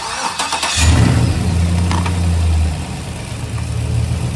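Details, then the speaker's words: 2006 Chevrolet Silverado, used 5.3L V8 first start after install, no coolant yet, MAF sensor unplugged, won't start from the key: rough idle with a weird clunk at first that kind of goes away; source unknown. "so there is kind of a weird clunk in the initially but kind of goes away"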